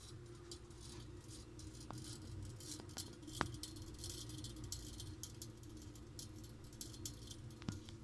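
Sparse, irregular sharp ticks over a low steady hum, typical of a heating pipe ticking as it expands. Cause suspected, not confirmed.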